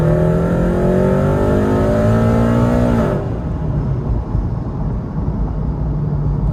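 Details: Supercharged automatic Scion FR-S with blow-off valve, after a dropped rocker arm and broken valve cover were repaired. At about 80% throttle the engine note rises smoothly and evenly, then eases off on the lift, with no knocks. Normal acceleration.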